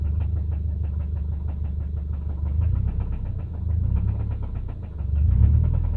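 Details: 2005 Subaru naturally aspirated EJ253 flat-four at idle: a deep, dull knock tapping under the engine note, roughly three or four per second; a horrible rod knock.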